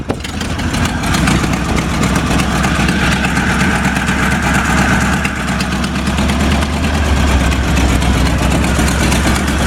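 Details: 1947 Ford fire truck from a Western Nebraska fire department, hard-starting engine settling into a steady, even low-rumble idle with no knocks or misses, hood up; healthy idle.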